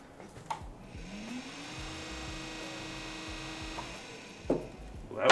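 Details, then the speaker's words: 55-pound-thrust trolling motor with foot pedal, battery connected, pre-season check: steering turns left and right with a soft electric whir rising in pitch then holding, a few light clicks; seems to work. Normal steering motor operation. "Turns left, turns right, turns left, turns right. Alrighty, folks, well, trolling motor is actually seeming to work."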